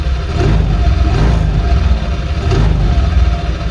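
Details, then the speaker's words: Honda Vario 125 LED scooter after CVT service for rough CVT noise (parts greased, CVT block bearing possible source): even, low idle with steady pulse, no rattles or scraping from belt side; normal idle, sound changed after work. "Coba hidupkan. Nah, beda nih suaranya."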